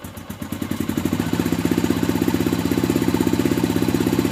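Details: Polaris RZR, smoke coming from the back: a rhythmic cranking chug at about four beats a second drags on and builds, but the engine never catches cleanly. Hard starting.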